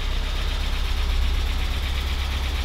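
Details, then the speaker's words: Porsche 944 S2, first start after over a year off the road, after clutch bleed and fan temperature sensor change: lumpy, chuggy, tractor-like idle with light ticking from noisy lifters and injectors; oil pressure good; rough idle. "It still feels so bizarre. I've forgotten how cool it sounds. I mean, this is a little bit chuggy at the moment, but oil pressure's fantastic."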